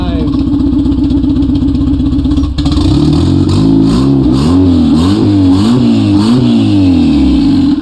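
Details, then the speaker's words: K-swapped Mazda B2300 truck, first start after K-Pro ECU install and calibration, exhaust unfinished: very loud raw engine note rising and falling with throttle blips; checking for leaks. Loud exhaust from incomplete exhaust system. "oh i really need to get the rest of that exhaust fix because this is really loud but i'm going to check under it real quick make sure we don't have any leaks"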